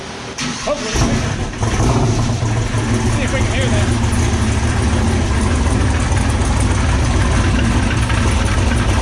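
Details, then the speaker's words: LS turbo square-body truck after a transbrake hit at a drag race: loud engine with an uneven knock roughly three times a second, worse than before. A loose flywheel is suspected and the transmission will come out to check. "yeah that should not be doing that oh god that's worse than it was before we left home"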